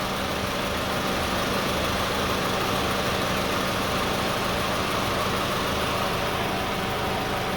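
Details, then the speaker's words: 2002–2006 Toyota Camry idling with AC and radiator fan on, after alternator replacement: about 12.91 V under load versus about 12 V with the old alternator. Steady idle under fan rush, no hunting, stumbling, vibration or shaking. Normal idle with AC and cooling fan on. "But even though even at 55, you know, we still have no vibration, no shaking."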